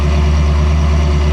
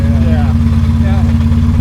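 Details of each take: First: Ferrari 360 idling after fixing misfire (previously misfiring, no check engine light, cylinder 7 coil already replaced): deep, steady idle with even low pulse, no stumble or skipped beats; all cylinders firing cleanly, a totally different animal. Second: Ferrari 360 idling, no check engine light, cylinder 7 coil already replaced: deep steady idle with faint uneven pulse about three beats a second; not smoothing out when warm.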